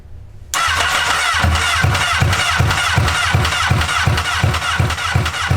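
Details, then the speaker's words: Honda N600 with replacement CBR1000RR engine, first start, open header exhaust: catches at once and settles to a steady even idle about three pulses a second, raw exhaust bark, no knock heard; runs fine. "It with the open header, it makes it a little harder to hear any engine noises, but from what I could hear, it sounded okay."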